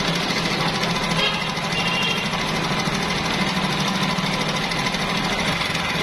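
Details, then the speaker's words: Honda CD 70 motorcycle engine running at idle with a loud, dense, steady metallic clatter; timing chain rattle that persisted even after timing work was done. "जैसे की अभी आपने सुनी के इस bike के timing चैन की काफी ज्यादा आवाज़ थी"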